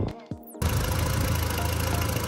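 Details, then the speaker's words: MK1 Audi TT turbo after rocker cover gaskets, oil return pipe gasket, engine flush and new sump pan (oil pickup probably roughly 80% blocked): brief clatter then smooth, even idle, sweeter than before; normal idle. "she's alive back and kicking sound is so much sweeter than before"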